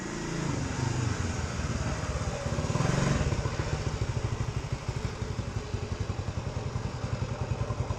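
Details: Cold start of a 1970 Honda CT90 Trail 90 with about 3,700 miles: catches quickly from cold, then settles into a steady, even low thump with no knocks or misses, a healthy idle.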